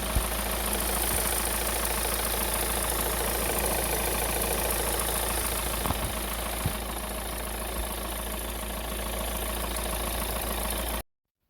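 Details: VW Caddy 1.9 TDI diesel idling with busy, uneven belt-drive chatter, tensioner shaking; worn accessory belt pulley, its grooves eroded, replaced, along with fuel return cooler and hoses.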